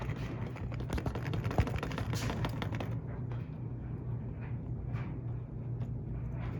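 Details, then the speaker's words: Vintage bicycle crank spinning gives sharp, irregular knocks and clicks over a low hum; worn bottom bracket needs rebuilding. "That is in fact knocking, which is a great indication of the fact that number one, our bottom bracket needs rebuilding."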